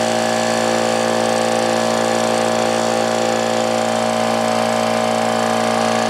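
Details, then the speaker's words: Old Brute air compressor with leaking unloader, check valve replaced without effect, restarting after tank drained: loud steady drone with hard even clatter three to four times a second; pump sounds worn and loose, cause suspected. Pump clanking. "Now if you listen, you'll hear some clanking and clattering and all kinds of good shit."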